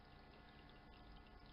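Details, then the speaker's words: Small Chinese icemaker after cleaning the water sensor screw and stainless plate fixed the fault: soft steady trickle of water with faint pump hum as it fills on a timer, overflow returning to tray; normal water fill. "now it will'll take water on a timer and the tray will overflow but the water runs back into the tray again"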